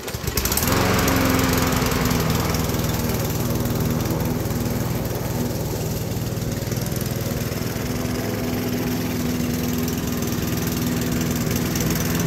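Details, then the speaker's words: Walk-behind lawn mower engine before tune-up, air filter dirty, oil black: dull choking chug about four beats a second that never clears; engine bogging, owner suspects clogged small passage in carburetor needing cleaning. "porque al correr como que se ahoga quiere decir que hay alguna parte pequeñita en el carburador"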